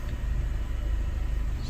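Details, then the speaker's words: EF Honda Civic sedan at idle, with the microphone held up close: low steady idle rumble with a fine, even shudder, a persistent vibration of unknown cause although the engine idles fine. "it but if you put the mic up you can hear it it's just vibrating away i don't know i don't know what that is it's idling fine"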